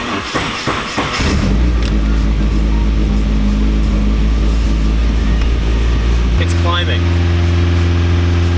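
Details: Nissan 240SX turbo, throttle position sensor unplugged to test after it was cleaned and reassembled: idle hums then steps up in pitch and keeps climbing without throttle; high idle, throttle position sensor needs adjustment.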